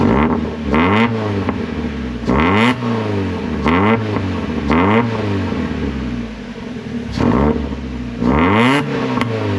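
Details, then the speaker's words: Miata with axle-back muffler removed, leaving cat-back with resonators; about six sharp revs over ten seconds, each a raw, loud rasp with crackling pops on overrun; loud exhaust from removed muffler. "so I'm going to show you guys a sound clip of what the exhaust sounds without this on"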